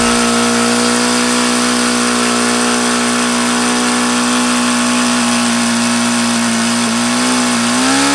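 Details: Used HP VT 21 rotary-valve four-stroke model engine: steady high buzzing idle that wavers and rises, won't idle below about 4,500 rpm, still rich on the low end despite leaning the low-speed needle and changing plugs; cause unknown.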